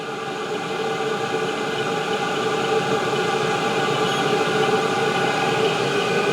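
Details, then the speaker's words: Chinese ZHIBANG 8 kW 27,000 BTU diesel heater at max heat, all bars: steady even whirring hum with no surging or popping; burning cleanly, normal running. "so now we're at Max heat all full bars it blows very nice"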